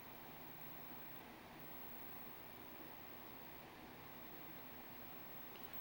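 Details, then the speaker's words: Sony Indextron XKV-55 CRT TV after repair and reassembly, powered on: soft steady airy hiss and faint low hum from its rear cooling fan blowing hot air; set runs hot normally, everything fine. "I can feel the heat just coming out of this fan in the back explains the fan it's in here so yeah everything's fine it looks like it runs hot normally anyways"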